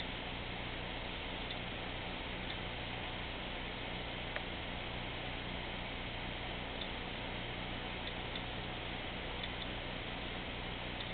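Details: 500GB Western Digital Caviar SATA2 hard drive, probably the lower of two, making faint irregular clicks over computer hum, worse under heavy load such as decompressing files.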